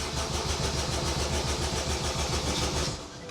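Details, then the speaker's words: Honda Jazz with a swapped-in K20A VTEC engine, brake cleaner sprayed into the intake: steady starter cranking never catches; there is no fuel pressure, the pump isn't priming and there is no spark, traced to a disconnected earth wire. "spray but still absolutely nothing now Tom and I were really confused because this meant that it wasn't a fuel problem"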